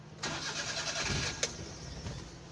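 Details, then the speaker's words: Starter whirs, engine catches briefly with a rough burst, then dies within seconds; it stalls straight after starting. Electrical checks found nothing, and the fuel pump is suspected, possibly overheating, as it needs rest before restarting. "So yan, namatay siya guys. Pagka direkta natin yan paandarin, hindi yan naandar."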